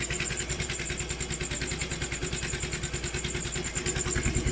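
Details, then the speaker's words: Motorcycle engine previously run dry of oil, refilled; earlier noise now mostly gone after work, screw not yet refitted: steady idle pulsing about three times a second, smooth, no ticking or rattle; normal idle. "Medyo hindi na siya maingay, di ba? Narinig niyo ba? Pakinggan natin ulit Medyo nawala. Di ba? Medyo nawala ang ingay niya."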